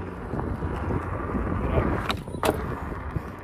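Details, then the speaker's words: Veteran Patton electric unicycle at 1,000 km hitting a kerb: sharp clunks and a clickety clatter as the fork suspension's axle flexes backwards and forwards enough to hit a bolt; nothing loose. "run into that, clunk, clickety clank. Sounds like a piece of shit. Doesn't feel great."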